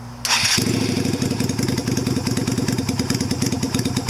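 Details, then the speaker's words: 2000 Yamaha Virago 250 (XV250), carb top back to stock with aftermarket air cleaner, exhaust and rejet, cold day: catches after short crank and settles into an even, steady idle with no misses; running perfectly. "Sits and idles perfectly. Cold out here. I need a little bit of adjustment. Back to stock, running perfectly."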